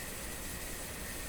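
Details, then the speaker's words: Bang & Olufsen Beocorder 2000 De Luxe tape deck running laid flat: steady thin high whine over tape hiss, like something rubbing in the transport mechanism; cause suspected, not confirmed. "laying down i hear that here that that wine that's a mechanical thing something rubbing somewhere in here"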